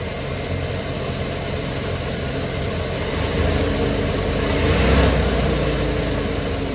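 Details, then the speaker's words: 1994 Chevy OBS C2500, 104k miles, after a tune-up with a new distributor rotor, firing order checked: even, steady idle with a regular low pulse and a small mid-clip rev rise; runs cleanly, no miss or knock. "Success. Well, that's good. It runs."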